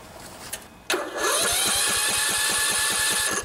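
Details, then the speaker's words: 16 HP Briggs & Stratton single-cylinder OHV riding mower engine after valve adjustment; short crank, catches quickly and settles into steady even beat; much better, normal start. "much better let's put on some choke see what happens"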